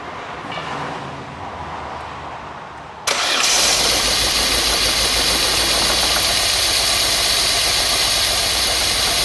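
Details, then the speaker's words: 1997 Opel Astra first start after timing belt, water pump and head work, breather pipes not yet connected: cranks, catches, loud slightly uneven idle with faint stumble; misfire, owner suspects too much air from disconnected pipes. "it's missing a bit but I wouldn't worry about that because like I said I haven't put any of these breather Python and it could be getting too much water too much air as a minute but it starts that's a good sign"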